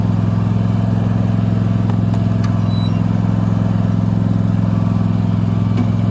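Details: Abandoned Cub Cadet mower, earlier poorly handled by a dealership, test run: steady, even low drone at constant speed with a regular beat around three per second; engine runs smoothly and healthy.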